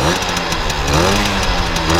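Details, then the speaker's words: 1980 Benelli 3 V K Export moped two-stroke, warmed up after starting; brisk, loud, buzzy note with slight pitch wander and no knocks or misfires, purring healthily. Normal running. "friends, so you've seen it's a motor that makes a very, very loud noise, we feel that it seems to want it"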